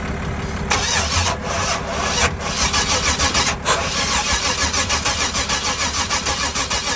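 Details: 1994 Camaro cranks steadily at about two beats a second but never fires; ignition checker between plug and wire shows pulse inconsistent with engine rotation, no ignition signal, possible bad ECM, needs further diagnosis; crank no start.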